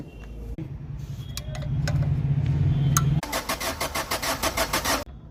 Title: Injector issue white smoke engine knocking